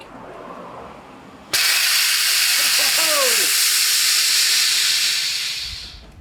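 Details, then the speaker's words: Steam mop, clogged by hard water deposits and soaked 24 hours in CLR to unclog it, switched on high outdoors: a sudden loud, steady hiss holds several seconds then tapers off, showing normal steam output after the fix. "we'll turn down out there and see if the steam comes out well it's plugged in we'll turn it on high"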